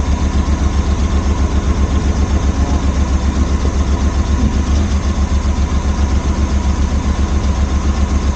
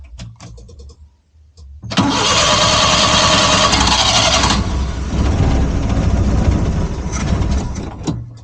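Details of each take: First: Suzuki Multicab after refitting the carburetor to fix a crank-no-start: steady, even idle with a regular low pulse of about four beats a second, no misses or knocks; running smoothly. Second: Suzuki Multicab that only cranked, starting with fuel poured into the carburettor and choke closed; a few weak cranks, then it catches and runs roughly, showing a fuel supply problem, carburettor to be removed and cleaned.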